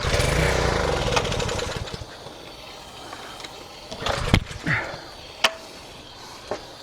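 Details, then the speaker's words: Craftsman 2800 PSI pressure washer with a Briggs & Stratton 163cc engine, used about twice then stored: it fires on starter fluid and races roughly for under two seconds, then dies. A fuel-related issue is suspected, so the carburetor is to be rebuilt. "The way that thing fired up and just ran for a second, uh, using some starter fluid leads me to believe we got a fuel related issue."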